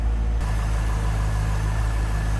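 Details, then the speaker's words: 1998 Chevrolet Corvette convertible pace car, stock 5.7 liter LS1 V8 with stock exhaust, hood open: deep, even idle burble with no ticks or misses. Normal, smooth idle. "there's a 5.7 liter LS1. Smooth running, great sounding. Just the way it should be."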